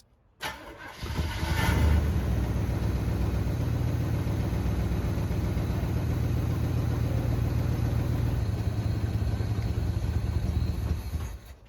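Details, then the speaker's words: 1974 Chevy C10 V8, sat for a while, gravity-fed fuel: catches after a brief crank and holds a low even idle for ten seconds without stumbling or stalling. "So yesterday I got it fired up, got it to run idle."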